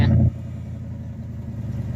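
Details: 1980 Chevy K10 squarebody after long sitting, fuel pump needed priming, charging now 14 volts: brief loud start then smooth, even low idle with no ticking or belt squeal; engine runs healthy.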